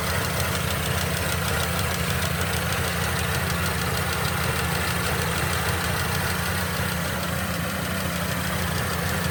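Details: Mercedes-Benz M271 1.8 CGI Kompressor engine at idle: steady idle with a fast, fine ticking rattle riding over it; abnormal engine noise, cause not clear.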